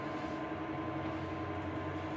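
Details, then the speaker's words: Dantherm HCV500 heat-recovery ventilation unit running at speed 2, very noisy: a hard, constant hum with a thin ringing note over the airflow. Vibration can be felt on one fan motor, pointing to worn fan motor bearings before replacement. "Donc au toucher, on sent la vibration dans ce moteur-là."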